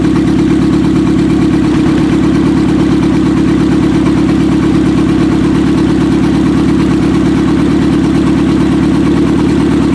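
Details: 1995 Acura Integra LS, turbo B18 semi-built motor with forged pistons and rods, aftermarket cams, eBay turbo, new head gasket: first start-up rough idle with uneven stumbling beat and missing pulses, one cylinder seemingly not firing; suspected misfire.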